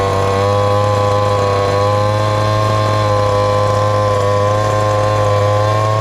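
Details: Ported little 2375 chainsaw with carb and ignition-timing mods, running methanol: steady hard revving with a thin screaming edge that never fattens up. Running lean even when tuned fully rich; the carb needs drilling out.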